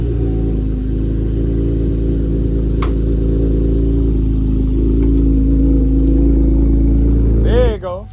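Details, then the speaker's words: Chevrolet Camaro V8 after catalytic converter welded: deep steady idle burble with even pulses, no ticking or puffing exhaust leak, extra noise gone; normal idle. "start that thing up bro see if we can hear the song you don't hear all the extra [ __ ] no more"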